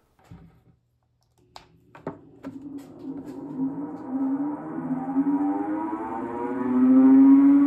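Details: Fantech FR100 radon mitigation inline fan started making a low grinding/whining sound: rising, slightly rough hum and moaning whine growing louder as it reaches speed; worn fan motor bearings, rebuilt by replacing the bearings.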